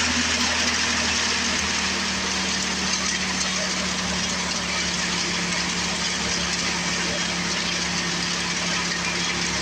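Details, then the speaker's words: Old Craftsman 24 snowblower with Tecumseh engine, revived after sitting for years, started with primer and choke then choke off: small single settles into a steady, even drone with low hum, no misses or surging; running normally. "running pretty good everything's going to work"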